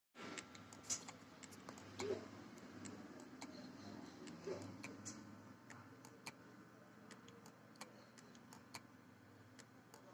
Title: #Toshiba 1 tb hdd clicking sound. #pcb #hdd #clicking sound #1tb hdd #repair